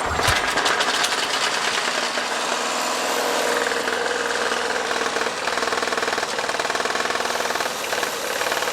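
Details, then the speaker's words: Used lawnmower bought cheap as non-working: small engine sputtering unevenly with a rough knocking patter about three per second, barely running; blade shot, cause not confirmed. "it barely runs hear that air filter and this blade is shot"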